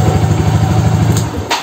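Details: Yamaha Xeon RC fuel-injected scooter, electric starter previously failing from a burnt 4-pin starter relay, battery somewhat low and charged: engine fires promptly on the button and settles into a quick, even beat; starting system now works.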